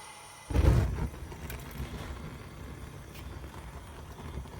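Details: RealFyre natural gas fireplace unused about 6 years, after the clogged pilot tube was blown out with an air compressor and the flame turned up: soft whoomp as the burner lights, then steady low rumble without popping or flutter; burning evenly, normal.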